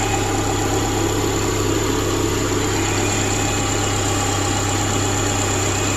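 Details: 2010 Subaru replacement engine idling after install, following brief rough running and a little smoke: smooth steady idle, constant low hum with faint even whir, no misfire or ticking; healthy running.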